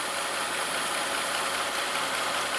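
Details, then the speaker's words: Mercedes CL65 AMG twin-turbo V12 with the engine running: a loud, constant, unchanging hiss from the ABC hydraulic suspension, which won't raise the car; no pressure reaching the main valve block is suspected. "the engine is running that didn't actually do anything it still won't raise the car up but listen to this hissing noise"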